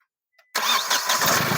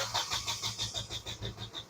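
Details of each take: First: Diesel car after fitting new parts: brief quiet, then engine fires at once and settles into an even diesel clatter with no stumbling; starts properly, return flow now correct. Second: Diesel car cranking during live-data check, rail pressure not building up: steady cranking at about three beats a second with no catch or firing; no-start traced to leaking injector starving rail pressure.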